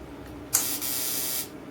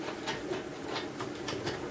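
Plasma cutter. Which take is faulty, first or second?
second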